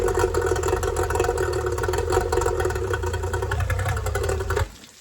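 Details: Yamaha two-stroke outboard after fixing oil leaking from the carburetor bottom, idling: steady even burble with no stumbling or misses before shutoff; no more oil leaking, normal idle.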